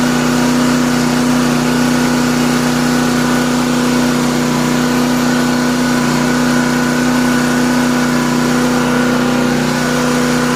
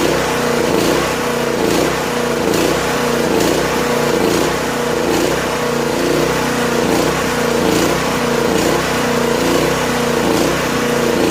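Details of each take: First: Classic Honda 2500 W generator, sat over four years, started after an oil change: runs at a steady, even speed with a clean constant hum, no hunting or misfires. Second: Late-1980s Honda EG2500 generator, stored 4–5 years, on half choke with little fuel in the tank: small engine runs unevenly, surging about once a second without settling, then stalls. Owner suspects it's out of gas; not confirmed.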